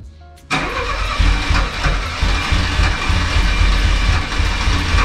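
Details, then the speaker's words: 1998 Chevrolet Corsa Wind: the engine catches and runs rough with an uneven, lumpy beat and a strange rattle; the fuel pump is blamed, making a very odd noise and said to be oscillating, suspected failed. "prometi bomba de combustível foi para o saco tá fazendo barulho bem esquisito"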